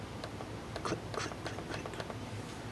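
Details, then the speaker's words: MacBook model A1342009 trackpad after reinstalling during keyboard assembly replacement: light crisp distinct clicks, about eight in three seconds; clicks now work, previously failed because a piece holding things in place was broken. "so the clicks work now. Before they didn't work. It's because this was broken."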